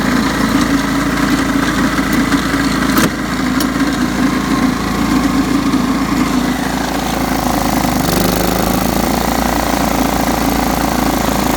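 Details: John Deere STX 38 riding mower, revived with a new battery: smooth, even running with a steady exhaust beat, no misses or knocks; normal running.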